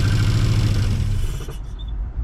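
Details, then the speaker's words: Mazda B2200 truck, first start in 20 years after a Weber 38/38 carburetor install: the four-cylinder catches and keeps running with a deep, steady low drone, no knocks or misses; normal running. "And there she is. She runs."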